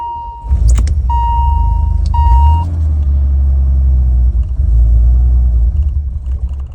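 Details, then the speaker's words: 1986 BMW 535i E28, revived after sitting 5–10 years: after the air flow meter flap, suspected stuck open, snapped shut, the engine catches but runs rough and uneven, unable to idle on its own; cause not yet found, new ignition parts and coolant temp sensor planned. "So, it's better than it was, but it still doesn't want to fully idle on its own. So, there's still something else wrong."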